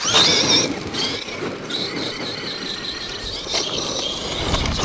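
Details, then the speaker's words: Traxxas X-Maxx 8S RC truck on Traxxas batteries, running: a high, harsh, rasping whine from the gearbox rising and falling with speed over rough driving noise; the pinion gear stripped. "Oh, can you hear that gearbox? Oh, that's off me MT8."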